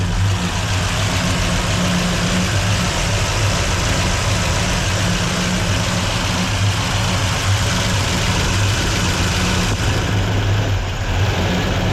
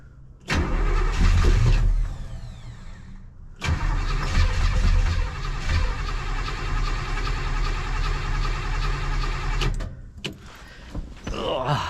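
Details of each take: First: 283 V8 in a 1967 Chevelle during cam break-in, idle raised, fed on primaries only with the secondaries plugged, oil pressure good. Deep steady V8 idle; owner notes a lot of valvetrain clatter. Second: Bored 283 small-block V8 in a 1967 Chevelle after advancing the timing, cranked knowingly without fuel; accelerator pump later found frozen. Steady rhythmic starter churning in two long bursts with no firing. Crank, no start.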